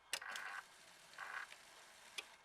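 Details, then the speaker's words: Mitsubishi Montero with LS 5.3 swap, first start prep, key on: relay click, brief electric buzz of the stock fuel pump priming about two seconds, another click; relay powers the PCM, priming normal. "you can hear that relay click everything's ready to go right now it turns on the PCM and all that stuff"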